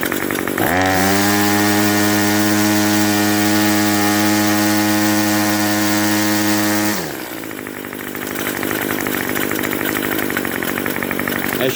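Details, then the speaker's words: String trimmer with a Craftsman block swapped in, warmed up before winter storage after 6 months sitting: revs up and holds a steady high two-stroke buzz, then drops back; runs well, with a faint squeak from the clutch. "can hear this trimmer runs pretty good the only thing you can hear is a little bit of a squeak coming from the engine that is the clutch the clutch on these trimmers really likes to make lots of squeaking noises"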